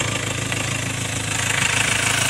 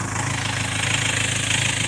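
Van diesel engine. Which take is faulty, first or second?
second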